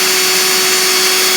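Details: Furnace blower roaring loudly and steadily with a thin constant tone; owner says the furnace was damaged by water and -27°C cold entering through a broken basement window after a blocked sump pump drain line.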